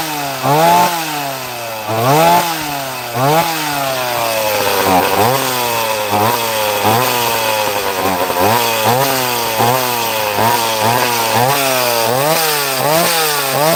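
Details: Chainsaw cutting wood after repair (new flywheel fitted on the "mystery 60"): revs up and bogs slightly into the wood about every 1.5 seconds, recovering cleanly each time; running right.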